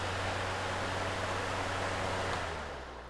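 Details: Lasko PN020350 floor fan after repair and maintenance (was noisy and hardly spinning; roll pin refitted), powered on at high speed: smooth, steady airy rush with an even low hum, no rattle or squeal; fan runs cleanly.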